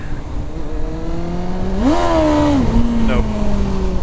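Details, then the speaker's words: Kawasaki ZX-9R in first gear at higher revs: engine note climbs sharply then sags while speed barely builds, where that power once lifted the front wheel; clutch slipping under acceleration. "no clutch is slipping even in first gear at higher revs I mean giving it that amount of power before it was picking up the front wheel"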